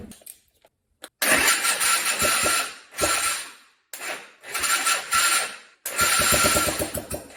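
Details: Junk Honda Fourtrax 250 ATV, first start after top-end reassembly: the single cylinder catches and revs in short, crisp, even bursts between pauses, with no knocks, and runs fine.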